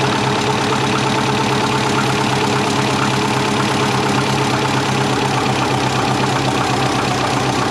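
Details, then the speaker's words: Built EJ20 Subaru Forester, first start after fitting a new dump pipe, coolant possibly low. Loud, busy idle with a fast knock through a raspy exhaust; knocking at start-up of unknown source, owner worried about the turbo. "it's okay except for the knocking"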